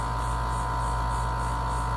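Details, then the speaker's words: Dometic RV roof air conditioner, cooling but not blowing air: compressor running, fan motor groaning with a steady low hum but not spinning despite 116 V on the high-speed wire. Motor extremely hot; it spins once started by hand, pointing to a failed run capacitor. "you can hear it groaning but the fan is not spinning so what we need to do is see if it's a capacitor or if our fan motor is bad it's extremely hot so it could be either one"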